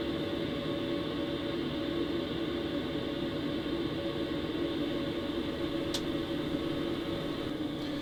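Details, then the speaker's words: BougeRV diesel heater in travel trailer turned down from 5 kW high to 1.4 kW low: steady, even airflow whoosh through duct with faint hum, no ignition ticking, much quieter, running normally. "Not sure if you can tell the difference, but it has gotten a lot quieter since it's gone down to 1.4 kW."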